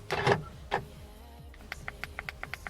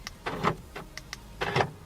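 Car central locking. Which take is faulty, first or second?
second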